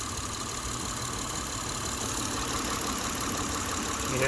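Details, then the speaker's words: 2007 Saturn Vue (Honda engine) idling steadily with a dull knock each time the block is rocked by hand, indicating a bad engine mount with worn-out rubber. "You hear that knocking? That's usually a sign of a bad motor mount. You shouldn't be able to just push your engine slightly and hear that knocking. It's a sign the rubber is gone."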